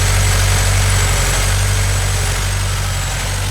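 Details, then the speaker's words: Scion FR-S boxer engine with codes P0302 and P219A: uneven, lumpy idle wavering about four times a second; cylinder 2 misfire from failing ignition coil, fixed by replacing coil packs. "look how rough the motor is running all right so the car is not supposed to sound like that uh houston we have a problem"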